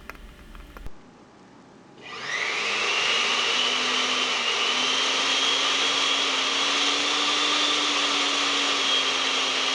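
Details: Noisy blender after repair: worn lower motor bearing fixed and carbon brush holder terminal repaired; after brief pause motor spins up to smooth steady high whine with no rattle or wobble, healthy.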